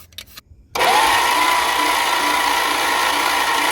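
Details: 1963 Chrysler New Yorker limousine, sitting since 2003, badly scored and pitted cylinder walls, engine (361 or 413, unknown): steady fast whirring crank with a faint rising whine, spinning freely but never catching.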